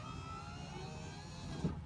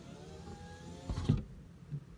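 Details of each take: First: 2005 Honda Civic Hybrid driver's power window, after door panel removal: short, even motor whir at steady pitch, no grinding; the glass now goes all the way down, even on auto. It had stopped partway, apparently from a deteriorating foam block on the panel. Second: 2005 Honda Civic Hybrid driver-side power window: faint motor hum, then a dull thump and it stops short, binding inside the door; window won't go fully down, apparently from a deteriorating foam block pulling off the door panel and obstructing the glass.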